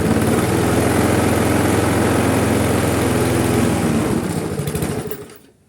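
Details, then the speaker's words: Briggs & Stratton Classic lawnmower engine, carburettor overhaul: it chugs at a low, steady pace then dies away, no longer stalling but not revving up at all. The springs look slack. Engine running too slowly. "On va enlever le filtre à air, on va regarder si on peut lui accélérer, parce que là ça tourne pas assez vite."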